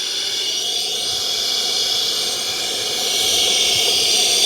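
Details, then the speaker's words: Off-road portable tire air pump, about a month old and powered from a battery bank: steady sharp hiss rising slightly at the end as air leaks from the hose or fitting; the unit is believed faulty. "there's air leaking somewhere."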